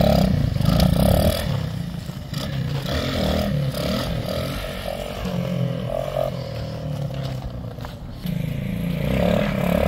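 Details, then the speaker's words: Honda XL185 after the rich-running fault was fixed: single-cylinder picks up cleanly and holds a steady, even beat through small throttle blips. Runs normally. "this is straight ice it's running now that's what we needed"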